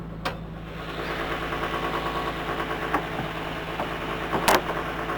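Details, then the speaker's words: R33 Nissan Skyline RB engine at idle during an auction inspection: steady idle with faint rhythmic rubbing and light ticking at the front; a loosened tensioner lets the timing belt rub the timing cover, badly. "first thing in fact that I can hear is a bit of noise from the timing belt which is not an uncommon issue with the RB engines basically the the tensioner tends to go on even as the tensioner gets a little bit loosely the belt rubs"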